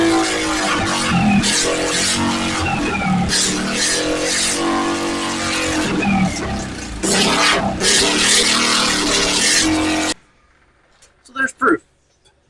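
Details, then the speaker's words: Honda Metro, after being brought back to running: engine fires and is blipped up and down repeatedly, revs rising and falling cleanly before shutting off; runs and pulls fine, normal starting and revving. "got her to go. I'm pretty tickled with that."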